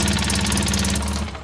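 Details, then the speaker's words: 2003 Polaris Sportsman 600 ATV at idle: sharp, fast, regular puffing ticks about fourteen a second from a cracked exhaust Y-pipe leak, possibly also causing slow warm-up. "We got a cracked Ypipe. very common on these things."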